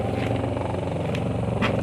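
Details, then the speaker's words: Washing machine motor (dinamo) just installed and tested: steady low hum, rotating evenly with no knocks or scraping; runs smoothly and sounds healthy. "Ah ya, posisinya mutar sudah. Suaranya pun mendengung-dengung udah bagus."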